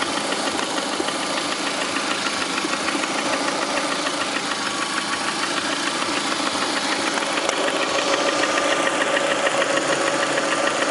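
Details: 2009 Lada Priora, 37,000 km, engine began knocking 500 km after adding Suprotec additive: steady fast tapping at idle, about three knocks a second over sharp engine note; internal knock suspected, cause unconfirmed.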